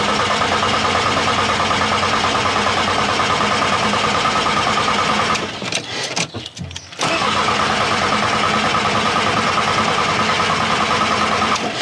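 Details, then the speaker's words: Bus diesel with about 10,000 km that died on the motorway after a noise from the engine bay: with the battery charged, the starter spins it quickly and evenly but it never starts. The owner suspects the fuel supply or pump. "Du coup, ça tourne très vite. La première fois. Bien. Cela signifie que le moteur ne l'est certainement pas. Pas réparé. Mais il ne fait pas semblant de commencer."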